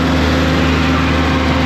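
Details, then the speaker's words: Air compressor engine goes straight to wide open at start and never idles down because no air pressure builds to push the idle-down cylinder; steady hard high-rev drone. Stripped compressor drive coupler in the bell housing suspected, not confirmed. "So when we start it up, it goes right to wide open because it wants to build air pressure. Right there, if that had air pressure, that would push on that cylinder and idle it down."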